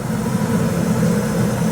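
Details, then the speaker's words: 1987 Marinette 32 flybridge, starboard inboard engine at 1,500 rpm and warming up, after the shaft alignment via the motor mounts. Steady low drone with no knocks or wobble; the shaft runs smooth as butter. "That is just about as good as you can get right there, guys. That is smooth as butter, and to be honest with you, it's a piece of cake."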